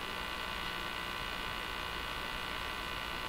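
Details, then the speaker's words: Crosley 43FB farm radio during shortwave trimmer alignment, tuned to a Portuguese broadcast: constant low buzz with hiss, never changing; owner believes the buzzing is interference, source not pinned down. "I believe the buzzing is interference."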